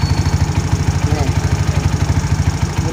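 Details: Mio scooter, single-cylinder engine idling with even putting pulses, roughly three a second, holding steady with no misfires or knocks: normal idle.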